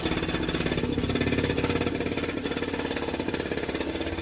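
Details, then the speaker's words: Peugeot Speedfight two-stroke moped after refitting the CDI unit and rewiring, running on its own power source: crisp, even popping at a steady idle after a rev, no misses or rattles; starts bang on, engine sounds healthy. "Wiring all to the bits it's supposed to go to, and yeah, and it starts bang on."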